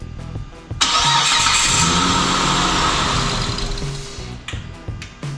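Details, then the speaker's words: 2008 Mitsubishi Eclipse that starts, runs a second and stalls, with a run-down battery: cranking normal but slightly labored; engine catches, revs, holds about three seconds then dies, running better each try; electrical power fault suspected. "all right so it started for a minute I wonder if we're dealing with electrical power cuz it seems to be running better each time it starts up"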